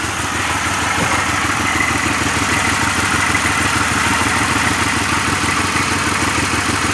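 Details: 2006 Pontiac Grand Prix supercharged, during a drivetrain/top swap build: a loud idle with an uneven, stumbling pulse that never smooths out; the engine is misfiring at idle.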